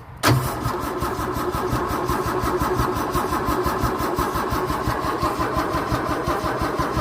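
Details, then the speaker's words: 1964 Holden EH ute, no start. The fuel pump diaphragm showed perishing; about 5 L of fuel was added, and priming shot fuel out, so the pump works. The starter cranks for seven seconds with an uneven rhythm and never fires; no fuel is reaching the carburettor, and a spark issue is possible. "Nothing coming out. When I did prime it, it shot fuel out there."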